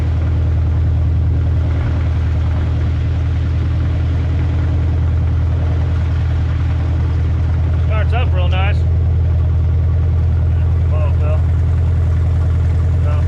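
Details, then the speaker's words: 1988 Mazda B2200 that sat for years, idling during a motor flush and oil change; a low, loping idle with a regular stumble from a number one cylinder misfire, and adjusting the idle doesn't change it. "uh but I did notice a problem obviously sounds like it's got a Miss still now this cylinder's running so yeah change the idle doesn't do anything"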